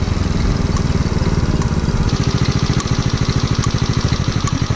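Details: Chinese-made 107cc replacement engine in a Honda Little Cub, on a break-in ride of about 10 km, in 4th gear: a fast, chuffing single-cylinder beat with light ticking on top; loose valve clearance, so the tappets need adjusting.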